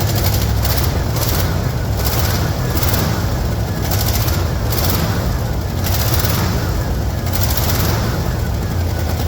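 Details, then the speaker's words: 1974 Ford F-250 farm truck V8 started after sitting a couple of years, firing after 10-15 pedal pumps: deep, even, strong rumble with no miss or knock; normal running. "oh listen to that old girlfriend no one's going to be excited if they plug in their old car and see if it runs in 50 years but that was pretty good she hasn't run in a couple of years"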